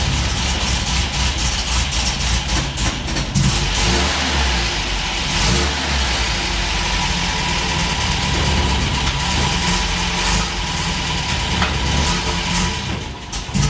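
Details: Old car started cold outdoors on a hot day, not warmed up: catches and revs up and down cleanly with no knocking or misfire; owner says it runs pretty good but needs to warm up first.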